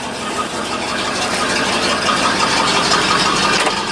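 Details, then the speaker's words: Dump truck converted from TBI to carburetor, with new plugs and wires, just started and not yet warm, oil pressure about 50 psi: steady, even idle with a faint hunt and no knocks or misses; normal idle. "got new plugs new wires sounds pretty good it sounds like it's gaming a little bit actually sounds good that's one thing now i gotta warm it up it sounds like an old truck"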